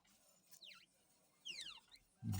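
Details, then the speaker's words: New scooter with 150 km on it: two faint, high falling squeaks about a second apart, then a thump. The source isn't found, and the squeak persists after applying used motor oil. "посмотрим получится а ничего не получается все равно хрипит"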